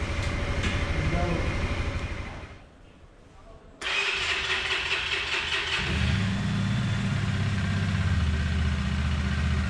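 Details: CFMOTO NK 150 single-cylinder after piston replacement for piston skirt knock and coolant change with air bled: cuts out briefly, then fires, steady idle and even rev with no knocks; running normally.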